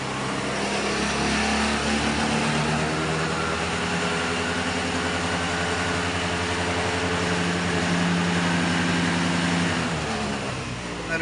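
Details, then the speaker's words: Honda Activa scooter with a new 2025 battery, in for a self-starter starting problem: started and revved while charging voltage is measured (should reach 14.5 V); engine idles evenly, climbs smoothly and holds, charging output found correct, normal running. "Start ചെയ്തിട്ട് വണ്ടിയിൽ നിന്ന് എത്ര charge കയറുന്നുണ്ടെന്നും കൂടി നമുക്കൊന്ന് അളന്ന് നോക്കണുണ്ട് കേട്ടോ. Start ചെയ്ത് നമ്മൾ റേസ് ആക്കാണ്."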